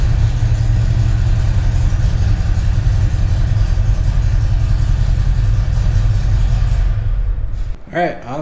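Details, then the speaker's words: 2017 Harley-Davidson Ultra Classic Milwaukee-Eight 107, just fitted with a Feuling 465 cam, Rinehart dual header exhaust and upgraded 2020 oil pump: deep, loping potato-potato idle. Started right off with no ticking or knocking; normal. "sounds good with it you know popped right off no funny noise is there anything that's way it should sound"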